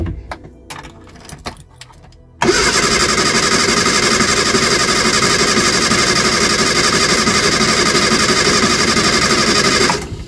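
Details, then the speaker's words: Eddie Stobart Reliant Supervan, cold, with fresh oil and new plugs after revival work: fast steady cranking for about seven seconds without catching cleanly, slow to fire while petrol is drawn up. Once running it is quieter and less tappy. "Come on. Getting there. Come on. There it goes. Oh, that sounds a lot quieter with that new oil. Nowhere near as tappy."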